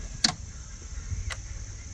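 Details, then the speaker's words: Fiero SE V6, 52,000 miles, sat 11 years, on jump pack: key on gives two relay clicks then no fuel pump whir; spark confirmed, fuel pump suspected as the no-start cause. "yeah I don't hear anything from the fuel pump do you have starting fluid I don't think I do good ahead yeah plenty plenty of spark so we've determined it's definitely the fuel pump cuz it's been sitting 11 years"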